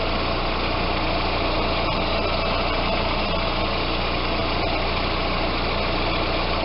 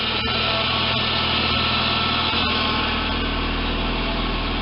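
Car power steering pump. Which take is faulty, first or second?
second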